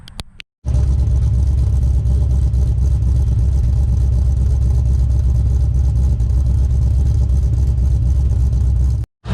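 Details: Monte Carlo G-body with a 408ci LS swap, Magnuson 2650 supercharger, and 4L80E automatic with trans brake: deep, loud, steady rumble with no misses or knocks; normal, healthy supercharged V8 idle.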